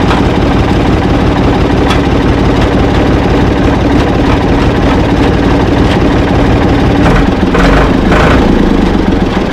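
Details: Ford 445 diesel tractor, thought to be a 1970s model and bought at online auction, with loud, steady, even idle clatter and no misses or knocks; it moved during the test, then quit, and the owner suspects worn linkage. Engine starts and runs good.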